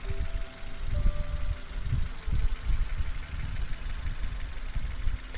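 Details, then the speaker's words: 2001 Nissan Almera 1.5 QG15DE, warm after an oil and coolant service: smooth, steady idle with an even light fuel-injector tick and no cam chain rattle. The engine sounds healthy. "engine itself is not actually too bad can hear it's running quite nicely that's very smooth that ticking that you can hear is the fuel injectors"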